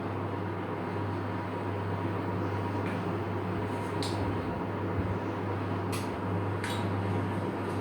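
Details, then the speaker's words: Pellet stove after new combustion fan installed to fix SIC Fail alarm, fired up: steady low hum with even whir, no rattle or squeal; combustion fan running normally. "so you can hear that fan kicked in and going"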